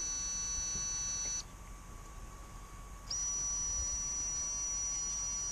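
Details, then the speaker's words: Rakon 66 quad with new motors, spun up from Betaflight motors tab on battery: steady high whine holds pitch, dips briefly, then returns smooth and even; smoother than old motors, no roughness, healthy. "These ones are a lot smoother than the old version. You can hear it too. They're just nice and smooth."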